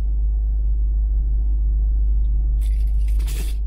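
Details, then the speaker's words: Jeep Cherokee XJ with a newly DRB3-reprogrammed Strike key: security light off, engine catches and settles into a steady low idle that keeps running without stumbling or cutting out; a normal, healthy start. "Donc logiquement, le Jeep devrait démarrer sans problème et ne pas se couper. Ben écoutez, ça fonctionne. Excellent, ça fonctionne."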